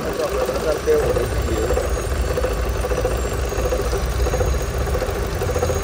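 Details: Chevrolet Cruze 1.8 engine at idle: steady hum with a faint, uneven midrange chatter; strange engine noise, source not confirmed.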